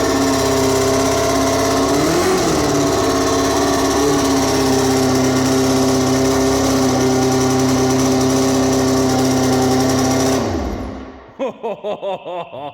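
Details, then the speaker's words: Formula 4 race car from Marketplace, first run after fixing fuel leak, no dripping: high steady even engine note for about ten seconds, winding down cleanly, with smoke and a couple of backfires noted; normal running. "That screamed of life. That thing's louder than the second coming of Christ right there."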